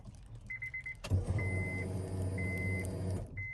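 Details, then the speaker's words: Acura RSX with automatic-to-manual K-swap harness, fuel pump previously unpowered from a missing ECU ground: at key-on a low electric hum runs steadily about two seconds between door-chime beeps; fuel pump priming normally after ground fixed. "turn off turn on again getting up some gas i can hear that you can hear the relationship from the fruit pump also so let's see if you guys can hear the fuel pump"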